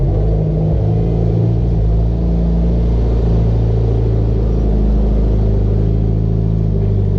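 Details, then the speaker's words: Mitsubishi Evo X with fully built motor and GTX3076R turbo, after welding an exhaust leak: smooth, deep, even exhaust rumble with no puffing, ticking or rasp; exhaust sealed and healthy. "Welded the exhaust too, so we had an exhaust leak. So that sounds a lot better right now. Way better. It sounded so bad before."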